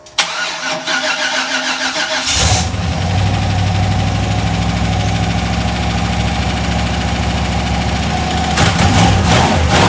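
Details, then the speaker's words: Cheap used LS 4.8 LR4 V8 on a run stand: a fast, uneven ticking knock over the idle that worsens. Something is loose internally; a lifter coming apart or a piston letting go is suspected, not confirmed. "yeah so there's definitely something moving around in there probably a lifter coming apart it sounds pretty fast to be lifter it could be the uh a piston letting go"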